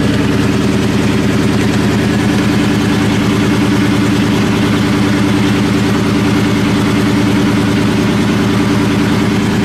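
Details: Supercharged New Edge Mustang GT (Vortech V1 Ti-Trim, 2.87 pulley, BBK 78mm throttle) on its first cold startup after a tune and shop work: an uneven, stumbling lope with occasional dropped beats over the V8 rumble. Cylinder misfire.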